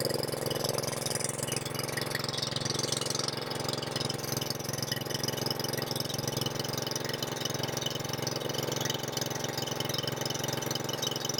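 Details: Craftsman R110 / Troy Bilt TB30R riding mower running at full throttle during a no-start diagnosis, charging system raising battery voltage to 13 V; steady, even single-cylinder chug at constant speed, no misses or knocks, normal running.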